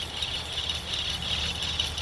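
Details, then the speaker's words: Acura MDX rear wheel bearing, removed and turned by hand: steady gritty rattle, the noise the customer complained about; bearing worn, replaced with OEM bearings. "yeah so this is the noise that the customer was complaining about I hope you can hear that this bearing is making noise so this bearing is bad"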